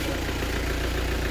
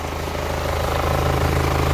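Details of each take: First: Hyundai Santa Fe diesel after replacing worn injector copper washers, oil filler cap opened at idle: smooth, even low rumble, no misses, knocks or puffing; no blow-by gas, normal idle after repair. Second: Hyundai Santa Fe diesel with heavy exhaust smoke, scanner shows nothing special, oil filler cap opened: rough idle with strong puffing pulse two to three a second, oil splattering; excessive crankcase blow-by, suspected from old injector copper washers leaking combustion gas.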